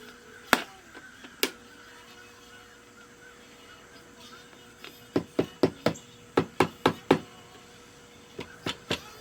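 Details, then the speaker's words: 1980-81 Vanity Fair Shirt Tales record player at 33 1/3: faint thin tone under sharp irregular pops and crackles, no volume; later found a bad volume control. "Yep, it's playing. But it's a little crackly and there's no volume to it."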